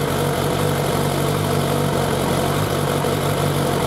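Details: Suzuki Bandit 1200 four-carburettor naked bike at idle, warming up before carburettor synchronisation; steady mid-pitched idle with a fairly even pulse and no obvious misfire, a normal warm-up idle.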